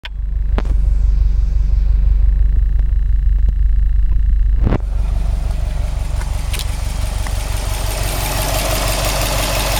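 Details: Subaru WRX STI after engine replacement, new engine 800 km, all original parts, no tuning, 5W40 oil, 2 bar oil pressure, 85°C oil, 21°C air: deep fast pulsing idle, odd low beat, sharp knock; abnormal noise, cause unclear.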